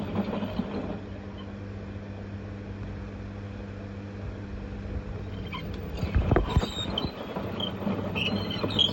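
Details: LG F1222TD washing machine with a failed bearing seal leaking water into the stator motor: low droning rumble over a steady hum, then knocking near the end; worn drum bearings, new ones to be ordered.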